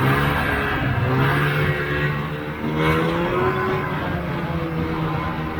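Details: 1980 Polaris TX340 snowmobile two-stroke, after replacing the blown head gaskets and draining the crankcase: cold start and test ride, revving cleanly and pulling evenly with no bogging or misfire.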